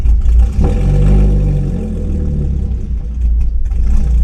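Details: Catless V6 Mustang (catalytic converters removed) on an 87-octane tune with 93 octane fuel, owner unsure if it runs rich: raspy rev swells and falls with loose crackles and pops on overrun; suspected rich-running backfire, no flames.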